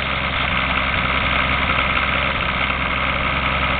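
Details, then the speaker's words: Toyota 7M petrol engine idling with steady rapid knock after startup, blowing smoke; 60 psi oil pressure at 1,000 rpm idle; owner suspects rod knock, says motor has blow-by. "We're gonna start the car. And as you can hear the knock."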